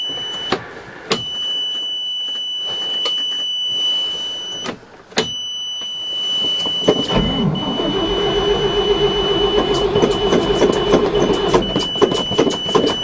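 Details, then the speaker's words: 1979 Chevy dump truck with 427, first cold start of season in November after sitting since June: starter churns steadily about three or four turns a second but never catches; aftermarket electric fuel pump failing in cold weather, loose wire found. "no luck that aftermarket stupid electric fuel pump does not like the cold weather"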